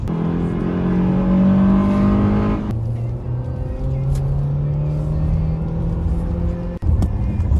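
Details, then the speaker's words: 2010 Ford Fusion on test track after repair: engine note rises cleanly through the revs, drops at a shift and climbs again with no grinding under load; the earlier noise, which seemed like transmission, was a broken engine mount, now fixed. "Olha a diferença do barulho do carro agora aí, ó. No começo do vídeo vocês lembram o barulho aí, ó. Agora não, pessoal, ó."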